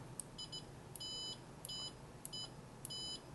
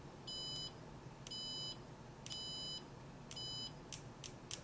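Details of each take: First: Siglent SDM3055A 5.5-digit bench multimeter in continuity mode, threshold default 50 ohms, beeper on: high, clear short beeps about every half second as probes touch; works normally, though the slow instrument can miss brief connections. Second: Siglent SDM3055A 5.5-digit bench multimeter in continuity mode with beeper on: high beeps about once a second, but several probe contacts get no beep because the meter reacts too slowly and misses brief connections.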